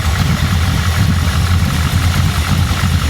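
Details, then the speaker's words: Flooded Impala rebuilt with carbureted 560 hp V8, electric choke not yet hooked up, no cooling fan, after a drive around the block: deep, even burble while warming up, no misses or knocks. "It sounds great. She's starting to warm up."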